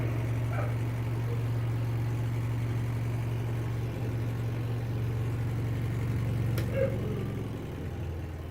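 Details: Washing machine after repair: steady, even low hum at one pitch with no rubbing or knocking while spin-drying clothes; the spin tub runs freely, though before repair water stayed in clothes and they didn't dry.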